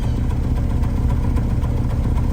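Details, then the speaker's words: Honda S2000, booked for an engine ticking sound: low, lumpy idle with uneven chug and faint irregular ticks, smoothing out when revved; VSA light came on; bad misfire found; valves suspected too tight, valve adjustment and injectors planned. "now this is new to the VSA light just came on so it Smooths out when you're revving you get it back to idle it's chugga chugga chugga chugga"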